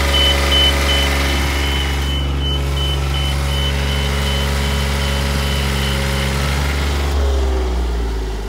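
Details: Duralift Jibbi 1250 boom lift starting to drive in 15-degree transport mode: steady diesel idle under high, even beep repeating nearly three times a second; normal travel alarm.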